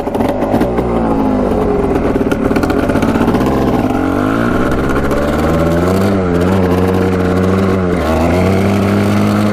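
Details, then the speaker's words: Machine with stock pipe and baffle, smoky and possibly running rich, new spark plug no better: revs in burbly, reluctant sweeps before clearing; suspected two-stroke-style loading up. Cause unconfirmed. "Having a hard time clearing it out, sounds like."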